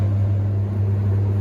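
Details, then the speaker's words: Hoover Ecologic D6722 reversing tumble dryer, after being taken apart and de-fluffed internally, test run with lid on and heating up: steady even low drum and motor hum, no knocks, scrapes or squeals; smoother than owner's older one; normal running. "Nothing wrong with that. Sounds a heck of a lot smoother than my original one. Quite happy with that."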